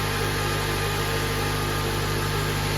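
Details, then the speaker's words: 2007 Honda Accord, K24 engine, manual, idling after clutch and throwout bearing replacement: steady, even idle with no whir, chirp or rumble from the bellhousing; the earlier bearing noise is gone; healthy. "Not only is it running, but that horrible noise is gone."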